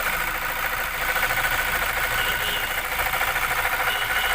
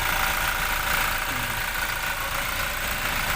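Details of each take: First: 2017 Toyota Fortuner diesel at idle: steady, fairly high-pitched whine over the clatter that won't stop, easily mistaken for the engine; worn alternator bearing. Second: 2017 Toyota Fortuner diesel after alternator bearing replacement: steady even idle clatter with no whine; noise gone, engine healthy.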